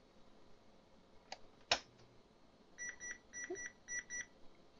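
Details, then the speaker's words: Canon NoteJet II 486C laptop with a built-in printer, powered from a bench supply with the current limit set to 4 A: a sharp click at switch-on, then bursts of short high beeps as the supply trips with "error stop". Overcurrent draw; a short is suspected. "yeah it does the same thing although this time we just get error stop so it definitely spiked the amperage up to 4 amps and then we just got error stop"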